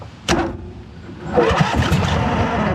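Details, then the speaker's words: 2008 John Deere Z425 zero-turn mower, bought with no key, dead battery and old fuel; after fuel drain, new fuel filter and battery, a sharp bang then cranking with a couple of uneven pops, firing briefly but not catching. "Oh, that almost took off. You hear me? It felt like it got a couple uh bangs in there."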